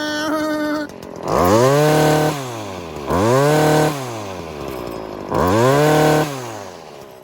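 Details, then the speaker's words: Stihl FS 40-C trimmer bench-tuned on the high jet, revved in the air without load: each blip climbs to a high scream then drops pitch into a burbling four-stroke, showing a correctly rich mixture, not lean. "That's a sign that you have a lot of fuel up there."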